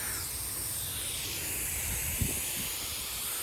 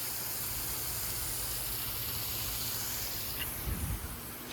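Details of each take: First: Sprinkler system zone 2 of nine running: steady, even hiss of water from spray heads with no sputter or surging; zone 2 working properly. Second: Old sprinkler rotor in zone 5: steady hiss of water spray with no ticking drive rhythm; rotor not rotating, to be replaced, cause unconfirmed.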